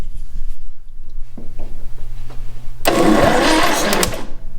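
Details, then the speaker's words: 1962 Austin Healey Sprite MkII engine, first time turning in 10+ years of storage, starter powered directly: after a low hum the starter spins the engine with a steady whirring crank about 1.5 seconds, no binding. Engine cranks freely. "oh she's turning that is the first time that it's happened in probably at least 10 years"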